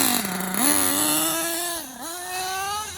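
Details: LRP 32 Spec 2 carb on K5.9 sealed-backplate nitro engine, HB D8T, hot glow plug after suspected vapor lock: high buzzing idle sagging and surging every second or so; rough idle.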